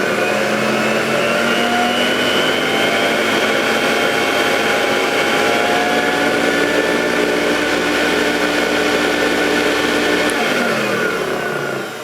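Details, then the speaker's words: Vintage Electrolux 560 Electronic upright vacuum at full power: even, fairly muffled motor whine and airflow rush; owner suspects clogging and expects clean filters and a new bag to improve it. Weak suction noise. "even on full power it's quite quiet it sounds a little bit clogged to me but I think clean filters and a new bag will improve that"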